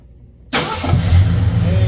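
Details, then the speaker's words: Ford Thunderbird 2150 Motorcraft carburetor after float adjustment to cure hot-start flooding: brief crank, hot engine catches straight away and settles into a smooth, even idle; starts properly now. "how about that? Man, that's how it should go."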